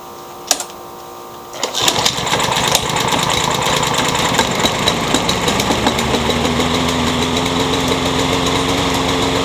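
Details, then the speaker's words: Curb-found Troy-Bilt 21-inch self-propelled mower with a newer Briggs engine, blade having hit a railroad tie, with crankshaft play and a possibly bent crank: cranks, catches, then stumbles at about four pulses a second; running rough. "so it runs but not very well"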